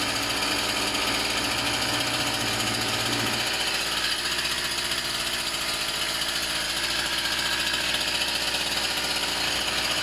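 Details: Tanaka THT 210B hedge cutter two-stroke after a carburettor strip and clean, diaphragms checked; it was slow to start on choke. Now a steady high-paced buzz that settles even after a brief note change; normal running.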